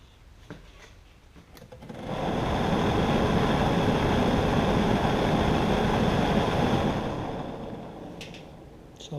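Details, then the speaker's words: 1966 Ford Galaxie 500 convertible under restoration: heater blower motor just reinstalled and powered up briefly; steady even whirr, holds smoothly, winds down with no rattles or scraping; old debris blew out from removed A/C unit; runs nice and smooth, normal. "pretty good with the tall one windshield there's zero light coming in but you can sure hear the heater fans"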